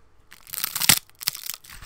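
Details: Tevo Titan clone extruder on a Tevo 3D printer won't feed filament, even after recalibration. Sharp crunching clicks in bursts as the gear slips on the filament; extruder skipping, to be replaced with a Bondtech.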